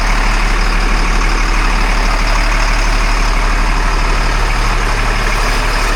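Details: 1997 LMTV military truck diesel after a full service, started with oil pressure and throttle held open to purge air: deep, even diesel clatter holding a steady idle, no misses or knocks; normal idle.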